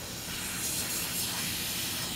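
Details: Scrapyard Snapper mower tire being inflated: continuous sharp hiss of escaping air at the fitting, steady throughout; owner suspects it needs Teflon tape. Air leak hiss.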